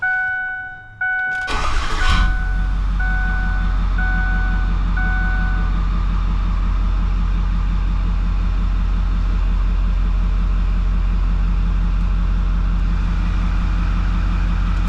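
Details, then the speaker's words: 6.4 Powerstroke diesel (DFC street series long block) after its second oil change at about 6000 km: quick crank, then a deep, even idle with a steady beat and no knocks or ticks for about thirteen seconds, then shutdown to check oil level and leaks. "start it up Rev it for about 30 seconds not really rev it but isid for about 30 seconds shut it off and check our oil"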